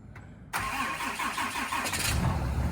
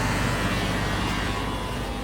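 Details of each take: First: 2019 Ram 6.7L Cummins diesel, cold start at about -2°F with the grid heater: brief crank, catches quickly, settles to a steady even cold idle; some odd noises the owner wonders are power steering; a coolant-like dash indicator appeared; normal cold start. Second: 2019 Ram 6.7L Cummins diesel cold-started at about -2°F with the grid heater on: a steady, pump-like high whine rides over the rumble. The owner wonders if it is power steering, and a coolant-like dash indicator also appears.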